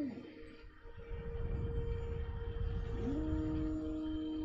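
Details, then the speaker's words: MOOZ 2 unit after replacing stock main fan with Noctua fan, mic near fan: faint steady low hum, no rattle or ticking; fan running normally and much quieter than stock. "there's this stock fan and there's the knock to a fan so you can barely hear it"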